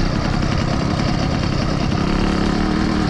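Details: Small two-stroke engine, a mini dirtbike or new 80cc motorized bike, on a quick check after the rebuild: a fast, even buzz with no misses or knocks. It runs cleanly and is doing really good so far.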